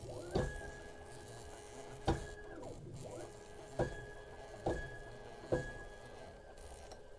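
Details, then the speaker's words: Workbee 1010 CNC, PSoC5 GRBL port, X axis jogged at 1 mm per click on short 1 m wire. Axis hums then hard clunk about every second, stuttering, jerky motion. "So when I rotate the jog wheel, if you look over here and you look at this, the smoothness of the movement, it's really jerky, and I'll show you that right now."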